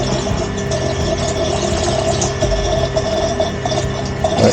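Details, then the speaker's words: Pump filling a solar water heater circuit during commissioning: a steady hum with a thin whine and airy gurgle on top, as the water in the supply container has run out and the pump is running dry. "Je crois que je commence à entendre un bruit. Ah non, c'est le bruit qu'il n'y a plus d'eau dans la pompe."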